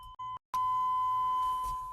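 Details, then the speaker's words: Chevy OBS truck that sat about 1.5–2 years, battery just reconnected, key out: a short beep, then a steady high single-tone chime; owner thinks open doors are setting off the warning. "I don't know why all the doors open. That's why it's beeping."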